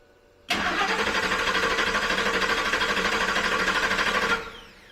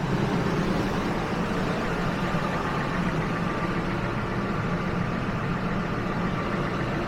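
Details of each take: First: 2000 Ford F-150 with fuel pump suspected, refuelled: even starter cranking at about three beats a second for four seconds, never catching; no fuel pressure because the fuel pump isn't turning, though its relay clicks. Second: Steady, even idle with a smooth low rumble and no misses, knocks or surging, AC off. This 2000 Ford F-150 has 331,000 miles and is just after replacing the original fuel pump; a coolant leak was later found at a heater hose.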